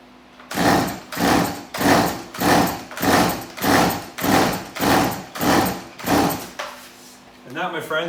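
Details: Stihl MS180C chainsaw, about eight even rasping pull-cord strokes on a final try with the old carburetor, never catches or fires; cranks but won't start, carburetor fault unfixable by rebuild kit, replaced with a new aftermarket carburetor.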